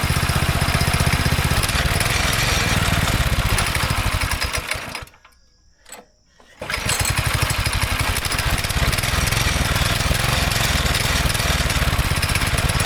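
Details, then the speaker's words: Go-kart engine not run in about 3 years, after partial fuel drain: chugs unevenly, cuts out and picks back up, stumbling as if fuel-starved; after about 2 hours still rough, likely leftover bad gas pocket in tank. "So it's been like 2 hours and it still doesn't run the best, but it runs enough to drive it."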